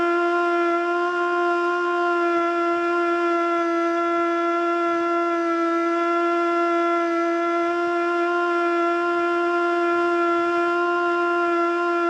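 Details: Older Federal Signal Model 2 siren (old CD box), Princeton NE, alert test: steady tone stalls well short of full pitch and wavers; rotor not coming up to speed; owner suspects worn brushes.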